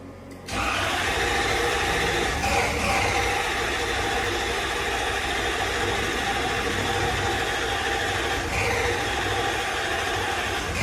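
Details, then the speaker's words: Toyota Soarer SC400 1UZ-FE V8 with new Blueprint distributor caps after most parts were replaced: steady starter churn for ten seconds that never fires; crank no-start, owner suspects the timing is out and plans to check spark. "Well, that answers that. The engine's coming out, it's getting stripped."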